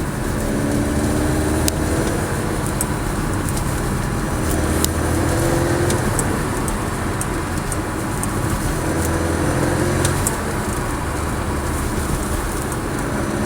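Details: Porsche 718 Cayman S: thin metallic buzz under low load or acceleration at about 1000–2000 rpm, rising and falling with revs and stopping when the throttle is lifted; slightly louder with the sports exhaust on. Source untraced.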